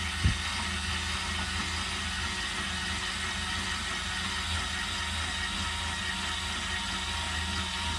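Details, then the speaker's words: 2022 Zinger 270BH travel trailer's electric stabilizer jack retracting after being set to hold pressure, not to lift; steady, even motor drone with constant whine and no catching or grinding, normal stabilizer jack operation. "it's not meant to raise it it's just meant to have you know pressure on there to stabilize and when you're done you just hold retract and it goes back up"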